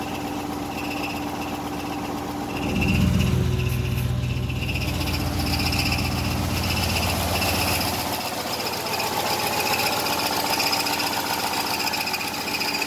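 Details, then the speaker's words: GM V8 restarted after seizing from a failed oil cooler quick-connect, run briefly to warm it: it cranks and catches, then a harsh, high screech rides over the rough running. The owner suspects a piston ring stuck in a piston, which is unconfirmed. "Alright, what I'm doing is I'm starting it, I'm letting it run for a couple seconds, and I'm turning it off because that horrible screeching noise, I think, is one of the rings stuck in one of the pistons."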